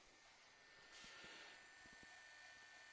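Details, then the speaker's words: 1994 Samsung MyCam VP-U10 8mm camcorder after repair of its capstan motor, whose degraded stator magnet coating had jammed it (C.EMG error): playback runs with a faint, even whirr and a few soft clicks; plays perfectly. "donc l'âge appuyez sur play la caméra lit parfaitement la vidéo c'est nickel"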